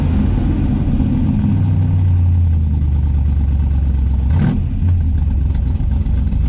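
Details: Dodge Dart V8 after electronic ignition conversion revs with deep steady rumble and one sharp pop mid-rev, then settles; running better, but carburetor still needs tuning, float levels suspected off front and rear.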